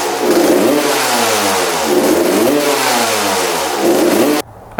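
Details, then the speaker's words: 1993 Suzuki RM125 two-stroke dirt bike, freshly rebuilt, new plug, fuel tap toggled on and off: quick revving blips rising and falling then cutting out; throttle crisper with gas off, suggesting possible rich running. "right so I kept on turning on and off the gas and you can definitely hear the difference between the throttle response when the gas was on and off it was a lot crispier with the gas off because it was using the gas in the carb"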